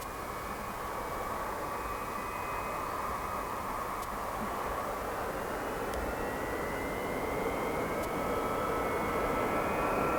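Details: Boeing 707-358C 9Q-CVG (Pratt & Whitney JT3D-3B engines) taking off from Oostende runway 08, late 1996, after an earlier aborted attempt with compressor stall; distant roar and rising spool-up whine, smooth, no surges; normal takeoff.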